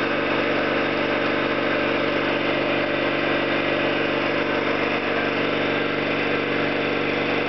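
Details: Orlík 2 JSK 75-2 compressor at one of its first starts after rebuild (valves, seals), motor provisionally started in star due to the house breaker; steady even chug at constant pace, no knocks or squeals; normal compressor running.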